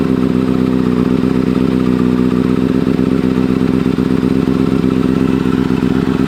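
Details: 2009 Kawasaki Ninja ZX-6R inline-four, rebuilt with a new fuel pump and wiring harness after a bad ground burned the harness: an even, fast idle with a steady beat and a faint light clatter, no misses or surging. Normal idle.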